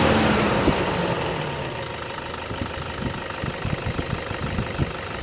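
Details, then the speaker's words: 2008 Toyota Hilux Vigo E 2.5 diesel pickup: revved then drops to steady clatter about 3.5 beats per second, no shake or stumble, no smoke; engine runs normally. "นี่ก็คือเสียงเครื่องยนต์คุณผู้ชมครับเสียงเครื่องดังเดินปกติไม่มีสั่นคอใดๆไม่มีสั่นเบาเดินรอบเบาไม่มีนี่เครื่องเสียงดังปกติครับ"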